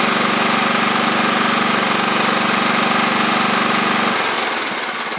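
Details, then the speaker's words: Free John Deere L110 riding mower engine, after fuel pump replacement, holds a steady even single-cylinder beat until switched off; no leaks, confirming the old fuel pump was overfeeding and flooding the carburetor. "all right and we're dry around the where I put the fuel line on so it was the fuel pump how about that"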